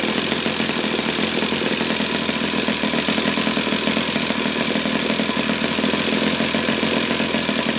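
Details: Used eBay Saito FA-60T flat-twin four-stroke model engine, first bench test run before refurbishing: steady, even buzzing at constant speed with no knocks, misses or rattles; runs well from low to top RPM.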